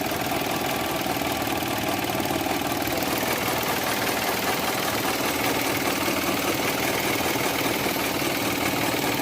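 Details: Engine at steady idle with continuous gritty whirring rumble under engine note; bad bearing suspected in alternator, compressor, water pump or crankshaft pulley, source not determined. Accessory bearing noise.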